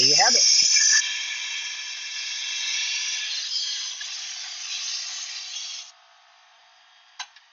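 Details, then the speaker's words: 1999-2004 Ford Mustang GT during spark plug repair: compressed air into the cylinder gives a steady high hiss escaping through the motor, meaning a valve is open; crank is turned until valves close. "I've got this open now and it's just blowing air through the motor so I'm going to need to that means one of my valves is open"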